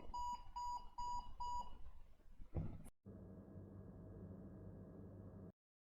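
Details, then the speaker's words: HP ProDesk desktop failing to start: high, evenly spaced BIOS beeps, part of a 5 long, 7 short code with matching red and white power-button flashes, meaning PCH chipset failure, then a thump and fan whir. "so it was beeping five short Peeps and then seven long beeps or I mean uh the opposite way so five long beeps and then seven short peeps"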